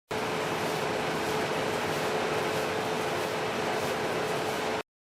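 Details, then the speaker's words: Whirlpool dryer after checking and cleaning the blower wheel housing: steady, even rush of air with faint constant hum, running normally. "ahora puedes conectar la secadora y tratarla para ver cómo trabaja"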